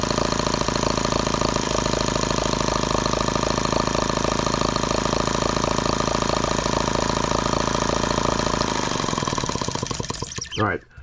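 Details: Microcosm H76 twin model engine after the fouled spark plug was pulled: an even, quick two-cylinder beat holds steady, then drops away as the engine stops, with both cylinders firing cleanly.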